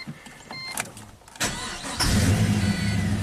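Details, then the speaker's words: 2004 Pontiac GTO 5.7 LS1 V8, 34,000 miles, starting after a bad spark plug was replaced: a brief crank, then a clean catch and a steady, smooth idle with no misfires counted. "See, this beast fires up and runs super smooth."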